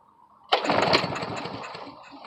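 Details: Briggs & Stratton 5.5 hp lawn mower with air filter removed, fresh gas: engine catches with a sharp burst, sputters unevenly a couple of seconds, then dies; starts but won't keep running, carburetor suspected.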